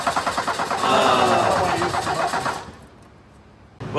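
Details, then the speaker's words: 1984 Ford Mustang SVO, four-cylinder turbo, 5-speed manual: steady starter cranking at about 2.5 turns a second, never firing; crank no start with no fuel delivery, owner suspects fuel pump or clogged injectors. "as you saw, the thing didn't start. I'm thinking it might be a fuel pump. It could be the injectors. They could be clogged."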